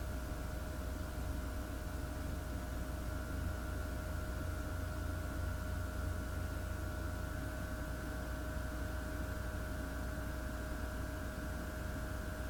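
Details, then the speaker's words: Dell Optiplex PC running the Superposition benchmark at 1080p medium DirectX: constant loud airy rush with a steady whine on top, no rattles or grinding; fans spinning fast under heavy load, normal. "I'm going walk out the room and then you'll hear how high these fans go"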